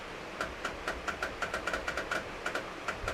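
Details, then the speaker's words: 1991 Toyota Celica GT with headlights switched on but not lighting: sharp light clicks repeat about four or five times a second from the relay, so power is present and the fuse is fine. Owner suspects failed H4 bulbs, not confirmed. "mean, there's power to it, you can hear the relay clicking, so it can't be a fuse that's popped, so it must be the bulbs that have gone."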